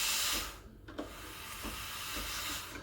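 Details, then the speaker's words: Breville Barista Express BES870, freshly serviced, after steaming milk to about 60 degrees: sharp burst of steam hiss, brief drop, then softer steady hiss as wand is purged to clean inside; normal purge. "very important once you're done purge it out"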